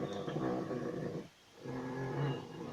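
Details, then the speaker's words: Maruti 800, before the fix: light, thin squeaky chirps come and go as the steering wheel is turned, typical of dry steering column bushings. "तो आज मैं लौट रहा था तो अचानक मुझे एक चीज़ समझ में आई कि आप ध्यान दीजिएगा कि जब हम स्टेयरिंग को काटते हैं तो इसमें एक हल्की सी आवाज़ आ रही है।"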